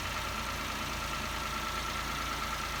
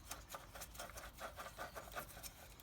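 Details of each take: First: Peugeot 107/Toyota Aygo/Citroen C1 1KR-FE engine after water pump, drive belt and antifreeze replacement (old pump bearings failed): steady, even idle with constant pitch and no knocks, rattles or squeals; healthy. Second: Peugeot 107 / Toyota Aygo / Citroen C1 (1KR-FE) water pump turned by hand after removal of drive belt: uneven gritty rasping bursts, no smooth spin; worn bearing, pump noisy before belt failed, replaced.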